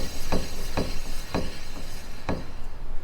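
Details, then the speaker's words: GT40 hub/rotor spun by hand: sharp clicks about twice a second with light gritty rasp; owner suspects bad ball in wheel bearing needing rebuild, unconfirmed. "There's like a clicking. So, I definitely need to like take it out and see what's clicking. It could be a bad ball in the wheel bearing or something"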